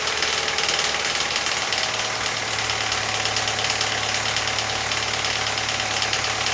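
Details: Audi A4 B8.5 1.8 Turbo EA888 petrol engine at idle right after a camshaft adjuster control valve swap (06L109257B/F): a steady dry metallic timing chain rattle at startup, which went away after about five miles of driving.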